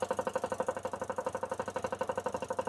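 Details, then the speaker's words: Vauxhall Vivaro with M9R diesel engine, hard to start: rough, pulsing idle with an uneven beat during leak-off test; two injectors return far too much fuel, so the pump cannot build enough pressure, causing long starts; leaking injectors, misfire also noted. "So if it's losing too much, then the pump cannot build enough pressure for the engine to start. Then that's why it's a longer start."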